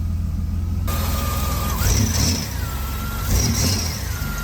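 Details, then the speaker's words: Engine idling with conditioned belt refitted (quiet with belt off, motor ruled out): initially quiet, then short high chirps return about every second from the belt drive; owner suspected water pump, but it spins freely with no play; cause unconfirmed. "Yay. Woo, it's quiet. Oh no, now it's starting. What is it? What is it?"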